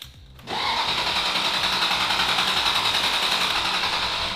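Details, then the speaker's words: Ferrari 360 Spider, neglected with sludgy oil, cranking with ignition coils disconnected to build oil pressure: even starter whir with steady beat of three or four per second, no odd noises; good compression, oil pressure rising. "We have a bit of oil pressure. It does sound like it has good compression. It does sound steady."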